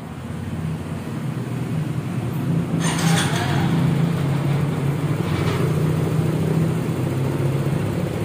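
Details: Mio Soul i 125 scooter started after throttle body cleaning and reassembly: small engine catches and builds to a steady, even hum with no stumbling or hunting at idle.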